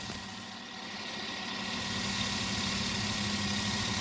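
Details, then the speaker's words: 2009 Chevy Suburban 5.3 V8 at idle, no check engine light: faint uneven low pulse, engine visibly shaking, cylinder six misfiring; likely needs ignition coils, spark plugs and wires, possibly injector service. "guys saw number six was misfiring if you look at the engine you can see that it shakes there's not a steady idle"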